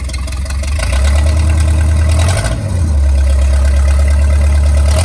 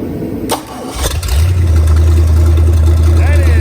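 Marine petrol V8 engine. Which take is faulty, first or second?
first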